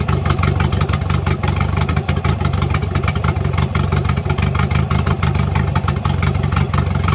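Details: Turbocharged engine idling and lightly revved with a deep, steady exhaust note and no puffing or ticking; the exhaust leak is gone.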